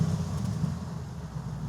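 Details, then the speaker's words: Lexus LS460 V8, stock exhaust, heard from behind the car at idle with an assistant starting it; soft, even low hum, very hushed, no knocks or leaks; built to be as quiet as possible, normal idle. "Aga see Lexus on tehtud ilmselgelt selleks, et see oleks võimalikult vaikne. Tahaks seda V8 häält natuke rohkem välja saada."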